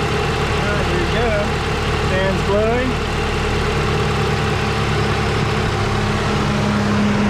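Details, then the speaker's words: 1988 Mazda 323 idling with the electric cooling fan blowing. Fan turns on with the AC or by temperature. Even idle with a steady airy fan hum, no ticks or stumbles. Engine and fan are running normally. "blowing can't see it but it's blowing you can hear it and then when I turn on the AC this fan will turn on or it'll turn on by temperature so I'll let you hear that"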